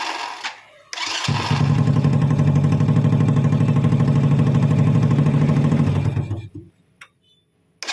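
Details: Honda Supra Fit motorcycle after starter motor repair (worn brushes, loose magnet, shim plate added for loose shaft that caused growling): short even crank, engine starts cleanly without throttle and settles to a steady low beat.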